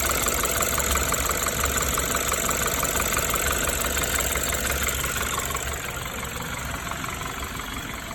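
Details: BMW N20B20 engine after engine damage: a steady metallic rattle about three times a second over an even idle; engine rattle at idle.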